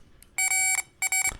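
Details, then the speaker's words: 2002 Mitsubishi Lancer 2.0 with P0403 (previously P0401), new EGR control solenoid bench-tested with power probe: two clean high-pitched meter beeps showing continuity, then clicking under power; new solenoid good, old one dead. "you can hear the continuity"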